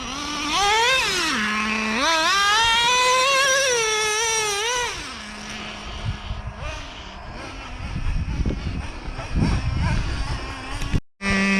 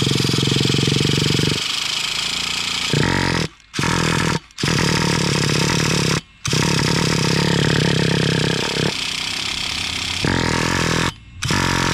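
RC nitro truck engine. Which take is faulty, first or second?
second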